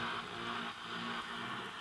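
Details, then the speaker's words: Grundig Satellit 3400 Professional (late-1970s) under restoration, FM around 89 MHz on internal antenna, volume max: mostly steady hiss, strong stations barely coming through; very weak FM reception, cause still unknown. "volume's on max it should be a strong station right here can hardly hear it there's another strong station here you can hardly hear that"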